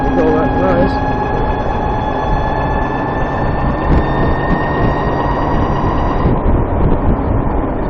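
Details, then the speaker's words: VX1 warmed up, climbing a hill under load at lower speed: thin steady high chirp over heavy wind and road roar. Suspected transmission chirp, louder once warm, starting around 30 mph. Cause not yet found. "It seems like once the transmission is warmed up, it's louder. It also seems like it really starts going at about 30 miles per hour."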